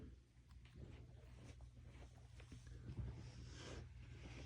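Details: Amplifier tube 2, heard through a speaker after the speaker cable was moved from the amp: low hum with irregular popping and crackling static from the faulty tube.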